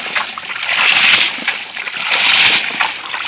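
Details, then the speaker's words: PVC/HDPE hydraulic ram pump with a 50-75 cm drive head and a 24 m drive pipe: splashing gushes of waste water about every 1.5 seconds; strong discharge but slow cycling, and faster cycling would give more output. "buangannya cukup mantap, tekanannya tapi tidak bisa cepat, sehingga kalau ini lebih cepat lagi akan menghasilkan output air yang lebih besar lagi."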